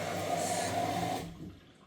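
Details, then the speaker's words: Miele washing machine after an F10 water intake error, tap checked and inlet hose straightened, then restarted: steady hiss of water rushing in, then fading; normal fill, error cleared. "So I can hear the water is actually now coming in and it does not show the error anymore."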